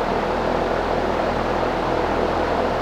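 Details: Grainger/Dayton 2MA11 24" ball-bearing fan, slowed by capacitor swap (8 µF kept) during motor temperature check, hottest spot about 130–135°F; steady even airflow rush with soft low motor hum, no rattle, tick or grinding, normal running.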